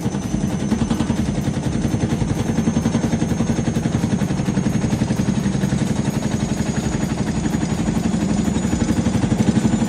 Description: Aaj hamare paas hai IFB Senorita/Elena Front Load machine, jisme spin ke waqt bahut tez awaaz (khad-khad) aa rahi hai.